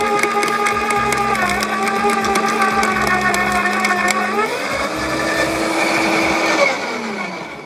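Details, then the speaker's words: LawnMaster 2800W quiet electric garden shredder, blade-to-plate gap set: steady hum with crisp snapping, pitch sagging briefly then recovering as thin branches self-feed without the plunger; cut up really nicely, normal shredding. "as you can see there it just it was just self-feeding the branches in I thought I was going to have to use the plunger to plunge them down but it didn't it just self-fed and he's cut them up really nice"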